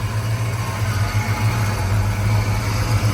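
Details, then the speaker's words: Ford Fox-body Mustang SSP 5.0 V8 idling after the no-start cause was found: an even, deep burble with no misses or knocks, and the header noise heard that morning is gone. Runs smooth and healthy. "running like it was this morning when I first got it to go it's running smooth it's not shaking other than what I would consider normal no weird noises pretty quiet"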